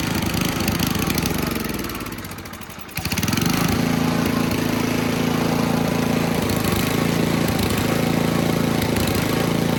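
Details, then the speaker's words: Simplicity snowblower after a loose cylinder head repair, carb clean, new oil and spark plug: engine sags almost to stalling, then recovers to a steady chug about four beats a second, running only on full choke. "All right, we got it running. She did not want to run. She's only running on full choke."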